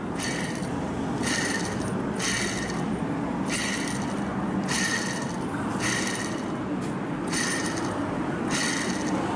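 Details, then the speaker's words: Daihatsu Mira van with a customer-reported noise the owner suspected was the water pump: gritty rattling bursts about once a second over a steady hiss as the alternator turns; worn alternator bearing causes the motor-like noise, alternator replaced. "これがイオンの原因。よいしょ。普通はほぼ音なんないですね。こっちは。こっちもベアリングがいっちゃってるんで、ガタガラガラガラ。これがモーター音みたいな音の原因です。"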